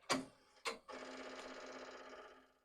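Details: Commodore dual floppy drive, first power-on in probably decades, both drives spinning and one LED not lit. Two sharp clacks, then a quick run of fine ticking with a faint hum for a couple of seconds. Head stepping noise.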